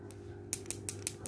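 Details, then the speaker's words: Timor DOHC (Kia Sephia) idle speed control solenoid, removed and shaken: sharp light ticks, about five a second, from the free ball inside, meaning it is normal; no sound would mean it is clogged and needs cleaning. "ada dikocok-kocok ada bunyi tek tek tek seperti ada bola ya Di dalamnya"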